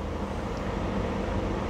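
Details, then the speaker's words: 2007 Lexus RX 350 with 211,889 miles, started in freezing wind at an auction yard: a short burst of steady, even low idle rumble with wind noise outside; it runs great. Normal idle. "Man, it runs great."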